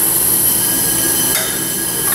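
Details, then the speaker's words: Honda Civic 1.7 with crank-no-start, engine off, leak-down tester on one cylinder: steady loud hiss of compressed air escaping past valves bent by the broken timing belt, possibly on both intake and exhaust; cylinder later still shows 40% leakdown. "well this one here at some weak down to it's blowing out this cylinder here I don't know if it's leaking on the intake and the exhaust"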